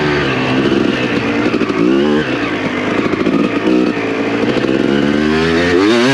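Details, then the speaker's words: Freshly rebuilt, broken-in 2007 Suzuki RM250 two-stroke in a sand pit. A crisp note climbs and falls cleanly through repeated throttle blips, pulling freely without misfires; it sounds sweet. Normal revving. "Sounds good as fuck. Yeah, dude, that sounds fucking sweet."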